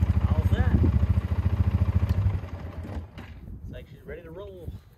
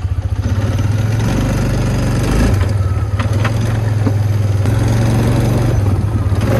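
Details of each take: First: 2009 Polaris Sportsman 550 XP after its stripped shifting bell crank was replaced; it came in clunking and lurching in gear. Regular thumping idle, about 3.5 beats a second, with no grinding or clunking; shifts and runs normally. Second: 2009 Polaris Sportsman 550 XP, lurching forward in gear, stripped shifter: rough uneven thumping under engine drone with occasional sharp clunks from rear; cause worn clutch and failed one-way bearing.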